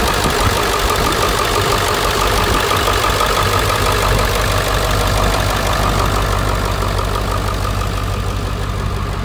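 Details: 2001 Ford F250 7.3 Powerstroke diesel after alternator replacement, weak batteries: steady, even diesel clatter at settled idle, no misses, squeals or belt chirp; normal idle.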